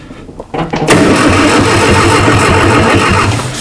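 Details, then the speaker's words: Abandoned 1960 Nash Metropolitan, spark and fuel present: starter grinds the engine over steadily without catching; battery sounds weak and may need charging, suspected. "Bo that battery sounds like it's uh might need an a charge little attitude adjustment mhm"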